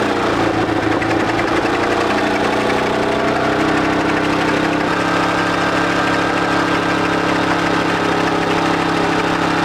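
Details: 1941 Caterpillar dozer, sat for a few years: engine holds a steady, even idle with a smooth low drone, no knocks or misses; pushing the control forward shuts it down, so it will only idle.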